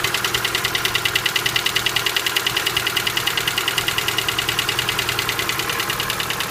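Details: Hydraulic lifters knocking (стук гидрокомпенсаторов): sharp, light, evenly paced ticking about three times a second over a quiet idle, a noisy lifter clattering in the top end.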